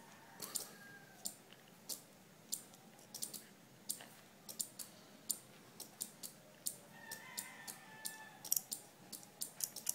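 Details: Two 12 V relays in a flip-flop circuit with 4700 µF capacitor alternately flashing green and red 10 mm LEDs, just powered on: sharp light clicks trading back and forth over a quiet background; relays switching normally.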